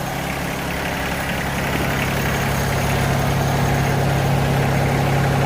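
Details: Yanmar SA324 diesel engine at its 200-hour service, just after a new fuel/water separator cartridge, fresh oil and a new oil filter: steady, low diesel clatter at an even idle speed, no misses or knocks; healthy.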